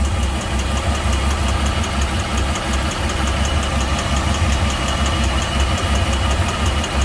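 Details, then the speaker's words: Volvo Penta 4.3 in a Regal Fasdeck boat, codes for long and short-term fuel trim: rough lumpy idle with uneven thump and clicking, from port side; mechanic suspects internal compression or valve problem, not fuel. "i hear it already i don't think that's a fuel problem i think that's an internal engine problem got a pretty bad kick"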